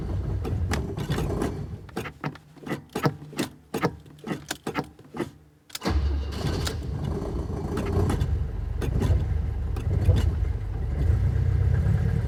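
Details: Alfa Romeo cold start on a cold day, pedal pumping: long steady starter chugging about six seconds before catching and settling into rough idle, possibly flooded; hard starting when cold.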